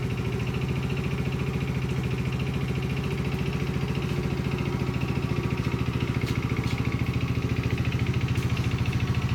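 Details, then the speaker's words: 2012 Polaris Outlaw 50 on a cold start with choke after valves found too tight with no lash were reset to 0.003": steady, even low putter around 140 pulses a minute, no misses, knocks or ticking; normal idle, starting easier. "Anyway, we're idling much better now, starting much easier, and hoping we can get some enjoyment out of this"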